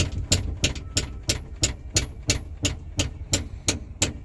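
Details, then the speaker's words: 1982 Ford Mustang GT after lowering, sway bar removed, driving, heard inside over the rear seat hump: sharp regular metallic clunks about three a second; suspected loose rear upper control arm hitting the floorboard. "it sounds like it is directly under here and hitting on this floorboard. So, like I was saying about that upper control arm, it sounds like it's right in there, and I'm going to start my investigation in there somewhere."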